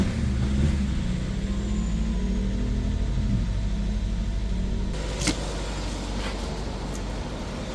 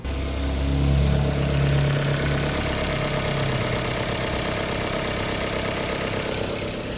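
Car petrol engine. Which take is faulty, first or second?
second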